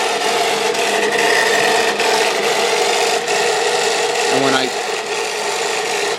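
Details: South Bend drill press just after spindle and pulley bearing replacement: harsh rasping, scraping drone and uneven rattle from the spindle on test run; major bearing noise, cause not yet found.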